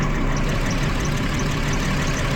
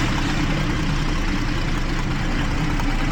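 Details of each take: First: 2012 Jeep Liberty 3.5L V6 idles rough and uneven, misfiring on cylinders 1 and 5 after a coolant leak soaked the engine bay, with water exposing weak secondary ignition parts. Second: 2012 Jeep Liberty 3.5 L V6, misfire on cylinders 1 and 5 after coolant soaked the secondary ignition; engine hot, smooth even idle with a steady low drone and no audible skipped beats, though a cylinder 1 misfire was logged.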